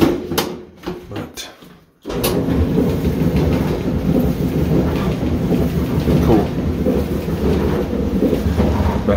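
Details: Old Maytag dryer reassembled after heating element staying-on fault diagnosed: switch-on click, then steady low tumbling rumble with no scraping, squeal or thumping; dryer running normally and heating.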